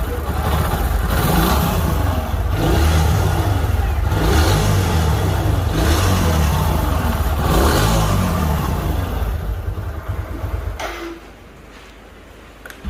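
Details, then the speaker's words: Junkyard motorcycle, kick-started (self-starter not working), engine already rebuilt twice by customer: revs up and drops back with loose clattery mechanical noise throughout; abnormal engine noise, internally worn, exact fault unclear, full engine work planned. "हम यहाँ पर kick मारेंगे, ये मैंने लगाई kick, और मैं आपको अब यही दिक्कत, सबसे ज़्यादा दिक्कत में इंजन में है। ये आवाज़ सुनो आप।"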